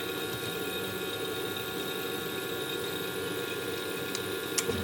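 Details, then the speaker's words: Sapphire boiler after service and cleaning: steady, even roar of flame with a faint fan hum and no pulsing, rumble or popping; burner firing cleanly and dry. "plug this one in and you can hear it fires and absolute dry so that's basically the boiler done"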